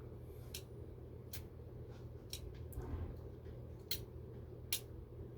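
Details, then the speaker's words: GE/Telechron alarm clock: low steady motor hum with scattered clicks and one soft pop as the alarm trips when the hour hand, advanced counterclockwise, reaches the alarm hand, which is normal when setting the alarm. "you hear that pop and that's pretty much as close as we're going to get it so what that means now is that the alarm is set for whatever time that we set it to"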